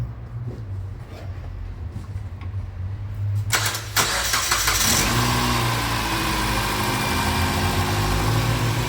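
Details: Mitsubishi ASX that stalled with a flashing dash: the battery read only 10.36 V. After swapping in another battery, a brief crank, then it catches and settles into a steady, even idle; charging 14.62 V, old battery likely at fault.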